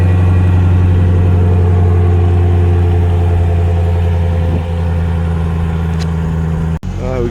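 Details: 2020 Dodge Durango RT V8, first start after a DIY install of a 2018 Corsa exhaust: deep, steady burble right after start-up, even firing pulses with no knocks, ticks or rattles; healthy idle.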